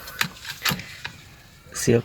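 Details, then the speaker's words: Toyota Calya/Daihatsu Sigra seatbelt with its lock removed, belt tugged: a few sharp ratchet clicks, belt catching and not pulling through; seatbelt retractor jammed. "Nih, guys, kedengeran ya guys, ini macet."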